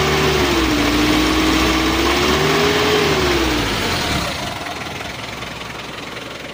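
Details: Mitsubishi L300 diesel after overhaul with 12 mm rotor head and Panther 2.3 cam plate, break-in standard setting, warm: steady even clatter settling quieter, no smoke, temperature mid-gauge; normal idle.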